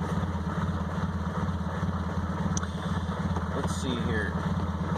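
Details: 1998 Honda Accord at idle: low, lumpy idle with uneven pulse about two per second that sags and stumbles without stalling; throttle blip runs 2000-3000 rpm then drops back; cause unclear.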